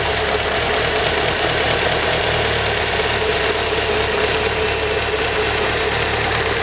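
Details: Evo engine at idle: steady exhaust note with a faint quick ticking over it; owner suspects lifter tick, cause unconfirmed.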